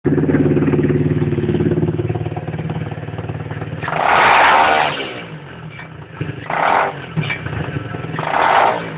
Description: Grinding or rattling type of noise when you rev down on the lifan 125cc in its running in period.